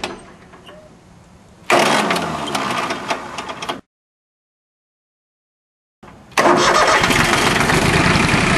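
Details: Small three-cylinder Yanmar diesel after a fuel filter change without bleeding: cranks about two seconds without firing, pauses, then cranks and catches into steady clatter; air in the injector lines, bled out.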